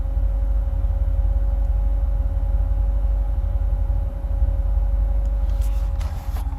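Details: 2008 Corvette C6 automatic, tuned, with cold air intake, long-tube headers and no cats, plugs recently changed: a deep idle that wavers unevenly with stumbling and dipping. The owner notes the rpm dances when the fans kick on.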